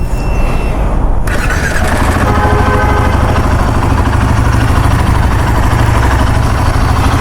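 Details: Royal Enfield Himalayan 450 after a full general service for tappet noise from the engine head: steady single-cylinder idle, even thump, no clear ticking. It sounds normal but is not yet hot, and the owner is unsure whether the noise returns when warm.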